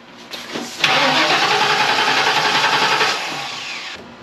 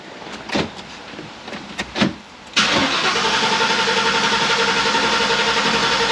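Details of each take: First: 1994 Ford Mustang GT, not started in six years, suspected bad gas: short crank, then it catches and runs a couple of seconds on starter fluid sprayed into the throttle body before fading; no fuel delivery, fuel pump is bad. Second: 1994 Ford Mustang GT V8, first start in six years, prime not clearly heard: a few clicks, then it catches and settles into a steady even idle with no misses or knocks; starts and runs fine.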